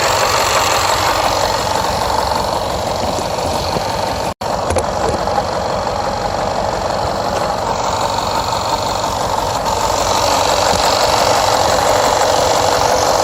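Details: Jaguar XFR AJ133 5.0 V8 idle misfiring on rear half, cylinders 5–8, cylinder 6 first; codes P0300, P0306, P1315, P228F fuel pressure regulator too high, P00C6 rail pressure low cranking. Uneven lumpy beat, about three pulses a second.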